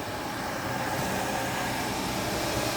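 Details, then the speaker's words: After exhaust manifold replacement and phaser work on a 261 mileage engine, it runs quietly with a soft even hum, no ticking, rattling or exhaust puffing; normal engine running. "Goods na yan. Patayin natin. Yung sobrang ano na, tahimik na."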